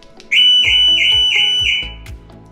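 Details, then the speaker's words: Audi S5 B9 alarm siren after replacing the weak, low-sounding alarm speaker for code B131D01: loud, piercing warbling tone near 2.5 kHz pulsing about four times a second; new siren much louder, code cleared. "So, it sounds much louder and that was just the issue. So, as y'all know, that is fixed. That code is gone."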